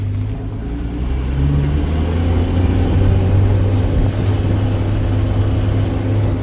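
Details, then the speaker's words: 1979 Land Rover 109 Series 3, carbureted 2.6 L (CD175 carbs, Rover P100-derived), cold-started on full choke, double-clutched first to second: deep steady rumble building smoothly through the gear change, no knocks or misses; strong torquey pull, healthy. "But you can you can hear she's got a fair bit of p fair bit of pulls. A very torquy engine considering its size."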